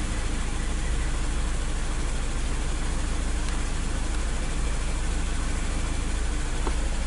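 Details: 2003 Toyota Wish 2.0-litre with codes P0200 and P0201 for an injector circuit fault, loss of power and check light on: low, lumpy idle with an uneven beat near 2.6 per second. Cylinder misfire from a dead injector with no drive signal.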